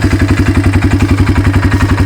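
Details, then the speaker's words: 1995 Yamaha Timberwolf 250 ATV at idle. Earlier an oil drain O-ring leak let it run low on oil. A steady quick tick of about seven per second is valve train ticking; owner suspects lifter or rocker adjustment or a worn cam. "But you can hear it either needs the lifters adjusted or the rockers adjusted, or the cam's got a little wear in it."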